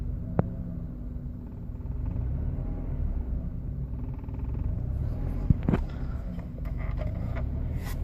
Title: 1998 forester rough idle